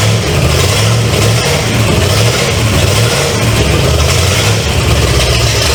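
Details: 1970 Pontiac LeMans with Pontiac 350 V8, abandoned for decades, first start, running without coolant through open exhaust: loud lumpy idle, deep even rumble with no knocks or misses, until it ran out of gas; normal idle.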